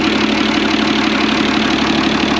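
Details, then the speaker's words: Ford Lehman 120 HP marine diesel on a 40-year-old trawler, after valve adjustment with valve covers off: steady, even idle with a smooth low rumble, no knocks or misses; engine running smoothly. "it seems really smooth"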